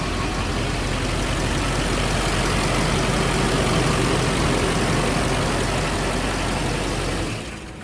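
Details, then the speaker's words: Turbo diesel with a 4-inch exhaust all the way back, started up and revved: a loud, full diesel roar that swells and settles, with clearly audible turbo spool and rush. Healthy turbo diesel rev and idle. "Yeah, it sounds really good. I really like how that turbo spool. I mean, all turbo diesels to me kind of sound good just because, you know, the turbo noise,"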